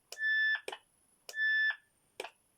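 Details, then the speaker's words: 1980 Uniden 2030 2m FM mobile radio, keyed by bridging the push-to-talk pins on the mic connector; two short clean high beeps each ending in a click about a second apart, automatic tone burst working normally on transmit. "that one there is the push push to talk pair and you can hear the automatic tone burst"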